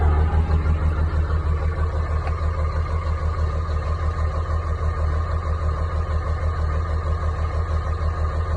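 Cold diesel idle with a steady lumpy rhythm, about three beats a second, one cylinder dropping out; points to a bad injector.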